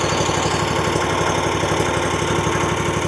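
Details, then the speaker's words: Kawasaki-powered RedMax zero-turn mower with one spark plug disconnected: chugs steadily on a single cylinder, about four beats a second, revs fine; the problem persists whichever cylinder is unplugged. "I mean, it sounds like it's running on one cylinder, but it runs fine."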